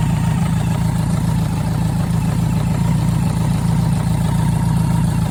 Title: BMW K100RS engine knock